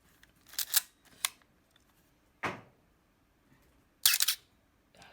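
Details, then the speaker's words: Canon A-1 35mm film camera with shutter squeak, after adding lubricant, fired at 1/4 and 1/8 second: dry shutter snaps each with a thin high squeak as the mirror returns; still squeaking. "i'm gonna go up the quarter of a second eighth of a second still squeaking"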